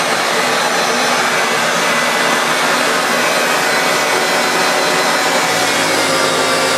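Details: Refurbished Hoover Turbopower Autoflex U2198 upright vacuum, with new motor bearings, belt and brush roll, cleaning carpet: steady, even motor roar with a constant airy hiss, no rattles or pitch wavering. Normal running.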